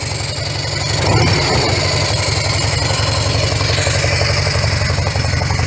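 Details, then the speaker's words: Harley-Davidson FLHS Electric Glide idling after both mufflers were repacked with fiberglass: steady loping V-twin idle, even low thump, mellow tone, noticeably quieter than before with the edge taken off; no knocks or rattles, normal idle. "It's noticeably quieter. I don't want a window rattler. See, it's got a nice mellow tone, and it just took some of the edge that was on it off of there."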